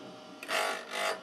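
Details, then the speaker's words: KEF Slibette 8 drill grinding machine with drill grinding attachment, finishing pass fed in until nearly no sparks remain: two short, light, smooth rasping passes of steel on stone with no chatter; normal drill bit grinding. "And I continue till there's nearly no sparks left. Then I have a good finish."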